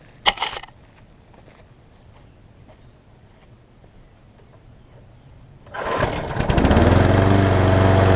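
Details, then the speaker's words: 5hp Briggs engine still on its original rusted Murray 22-inch deck, spring temporarily pulled back and lodged with a screwdriver. It starts on the first pull and runs with rapid metallic ticking: the blade is hitting the shot deck. "As you can see, when I pulled up on the deck, it was the blade was hitting, obviously because the deck was shot on it."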